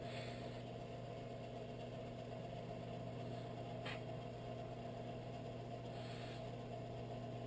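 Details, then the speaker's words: Whitfield pellet stove auger gearmotor after cleaning and lubing bushings, timed RPM test: steady even low hum, no dragging or surging; now at full speed, previously lagging from sticking. "so the motor is spinning at full speed"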